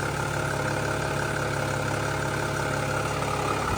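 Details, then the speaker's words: Mercedes E320 CDI turbo diesel idling, running with no leaks: steady low idle with even clatter and no misses, knocks or rattles; idling smoothly and healthy. "she lives boys she lives there she is she is running with no leaks that's awesome that's a job well"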